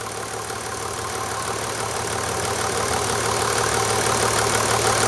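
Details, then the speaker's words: 1991 Mercedes 350SDL W126 OM603 diesel at idle just after an oil change with 5W-40 synthetic, oil pressure about 2 bar: steady clatter with a light, fairly even tapping about three a second; owner rechecking the tapping, cause unknown. "I'm gonna just fire it up again see if I hear that tapping noise now that I've gotten the oil pan out from under the car"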